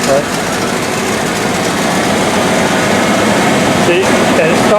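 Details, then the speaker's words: 1984 Rolls-Royce Corniche after head gasket replacement, formerly with the two back cylinders dead: at start-up runs lumpy then balances out to a smooth idle; owner suspects one or two injectors still clogged. "but then it starts to balance out and what that tells me is that the fuel injector are still clogged but once it balances out you know it's running pretty smooth"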